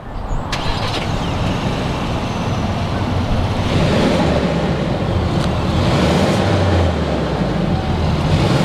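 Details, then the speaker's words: New 2019 Ford Ranger Lariat, 2.3L inline-4 EcoBoost with 10-speed automatic: engine catches at once and settles into an even smooth low idle, no knocks or misses; normal start and idle. "let's go ahead we're gonna fire up this EcoBoost Ranger and let you know what it sounds like"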